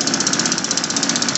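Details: Windjammer two-stroke gas bicycle engine after carburetor repair and fuel line install, choke up, frozen throttle cable needing replacement: crisp, even popping about eleven beats a second, steady with no misses; runs smoothly.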